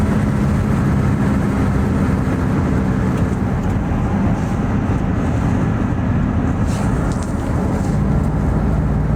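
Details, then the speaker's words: Ford SVT Lightning (2001+) with a used 99–00 Eaton supercharger fitted to replace the failed, noisy Jokerz unit, driving. Steady low drone with at most the slightest blower noise, far better than before. Normal supercharger operation. "I don't hear it maybe hear the slightest slightest noise but um Far and Away better than what was on there you know soundwise"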